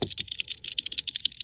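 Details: Fast, dry plastic clicking at about ten ticks a second from a loose part in a 2018-or-newer Audi A4/A5/S4/S5/RS4/RS5 Sportback door panel, suspected rattle; being fixed by stuffing butyl rubber tape into vibrating nooks, with one noisy spot remaining.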